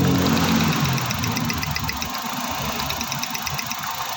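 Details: Suzuki DA64 with K6A engine, check engine light, scanner reports cylinder 1 misfire; coil tests good: uneven idle stumble about four times a second, dropped beat from one cylinder; misfire on cylinder number one.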